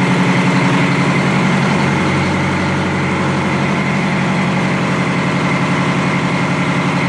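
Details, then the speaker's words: Detroit Diesel 4-71 two-stroke after rebuild, idle rpm set by optical tachometer: deep, steady idle about three and a half beats a second, even, no surging; normal idle. "once the idle rpm was set right Adrian installed the buffer screw and then adjusted that until the sort of hunting the fluctuation in the RPMs is out so you don't have to have the the government bounce around a point"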